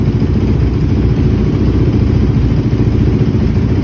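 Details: 2006 Honda TRX450R single-cylinder quad after a tune-up with new stator, CDI box, wire harness and spark plug, OEM carburetor cleaned and rebuilt, and valves adjusted: steady, even low thump at idle with no knocks or misses, running clean.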